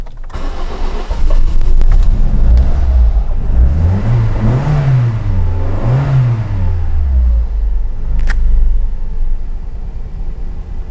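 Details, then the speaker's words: 2007 Toyota Corolla four-cylinder petrol engine starts, revs, then settles into an uneven, lumpy, misfire-like rough idle; it was hard to start after the first attempt. "yeah guys as you could see uh probably you could hear on the camera that it is definitely rough idle the car is running at the moment i can feel there's kind of like a misfire not really a misfire but very rough idle"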